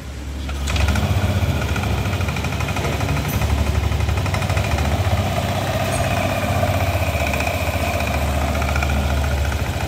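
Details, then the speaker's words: Yamaha Lexi scooter after bearing replacement, with oil circulation checked: idles steadily and smoothly, the harsh, frightening grinding sound it arrived with now gone; only the rotating bearing was replaced. "Oke ya, itu suara setelah kita melakukan pergantian untuk di bagian bearing ya. Jadi suaranya sudah kembali normal. Suaranya sudah tidak kasar seperti semula tadi datang ya."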